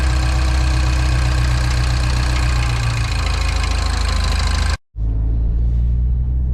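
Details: Mini R56 after injector cleaning, rebuild and replacement for cold-start misfire: engine restarted after crank with empty fuel line, steady low even idle hum with no knocks or stumbles, then a brief cut; runs smooth, warming up.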